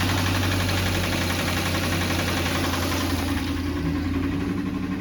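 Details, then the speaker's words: Salvage-title Mustang with the check engine light on after connectors were unplugged: engine idling fast and slightly hunting, sitting at about 1500 rpm and staying up after revving; high idle, cause not pinned down. "so now we're looking at 1500 so yeah it's a little odd still"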